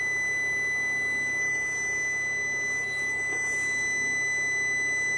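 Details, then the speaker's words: Hybrid inverter power-up after replacing the degraded original power-supply transistor with an identical new one, PWM controller at 17.3 V: steady high-pitched beep with no machine noise, error 01 because cooling fans aren't connected. "Є помилка 0,1. Ну, це від того, що не під'єднані вентилятори."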